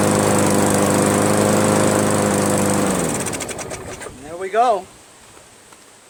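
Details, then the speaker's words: Craftsman push mower, Briggs 158cc, after cleaning carburetor and adjusting the fabricated governor spring: runs smooth and even at steady high speed, about 3000 rpm, for three seconds, then winds down and stops; sounds healthy. "okay those rpms are running around the 3000 area"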